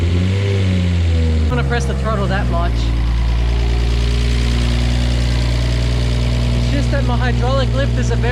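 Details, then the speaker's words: First cold start of a freshly rebuilt, fully forged RB25DET in an R33 Skyline, idling: light top-end tick over the hum; hydraulic lifters are noisy because oil has not reached them yet and should quiet down. "noisy at the moment oil going to them yet quite down"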